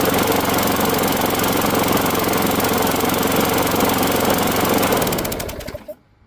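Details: Craftsman Gold mower, Briggs Quantum 6.75 engine, after new aftermarket spark plug: steady even buzz at constant speed for five seconds, no hesitation or surging, then winds down and stops; runs fine.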